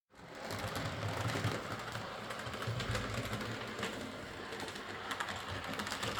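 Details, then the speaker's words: Model steam locomotive, previously massively overoiled, after cleaning, cylinder and valve gear fixes, new drawbar contacts and rerouted wires: a light, even whirr with soft rhythmic clatter and no stalling; it runs fine. "I fitted new contacts in the draw bar, rrooed the wires a bit, and in the end it ran fine."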